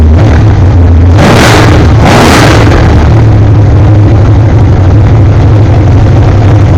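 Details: Chevrolet 427 small-block BluePrint crate engine (rated 540 horsepower) on a test stand at first start: deep, loud V8 rumble with two quick throttle blips, then steady idle with no knocks or misfires; runs healthy.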